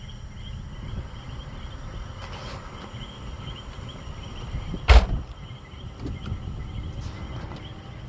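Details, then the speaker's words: Honda CR-V (2007–2011) after a fix for fans and AC compressor stuck on; with AC switched on, the cooling fans run with a steady low whooshing rumble and one brief clunk, normal operation. "Let's turn on the AC. Now the fans are on. I can hear them."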